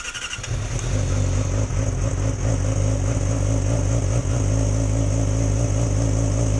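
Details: 2006+ Yamaha R6 that died at idle when below about 160–170°F. First start after the clearances were reset back into spec (they had gone out after about 5,000–6,000 miles): catches after a brief crank into a steady, even idle; timing correct.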